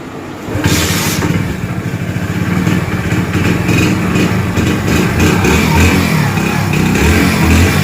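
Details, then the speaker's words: Hero HF Deluxe single-cylinder engine just after timing chain replacement: even, steady beat that builds smoothly with a little throttle, no ticking or chain slap; healthy-running engine. "चलिए दोस्तों इसकी आवाज perfect complete company type आ चुकी है दोस्तों"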